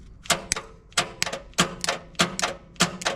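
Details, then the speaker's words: Long-idle Dodge truck, starter wired straight to battery positive by alligator clamp: repeated sharp double clicks about every half second with no cranking. Owner suspects the solenoid, possibly the brushes; starter solenoid clicking. "Okay, that to me sounds like the solenoids playing up potentially the brushes inside there."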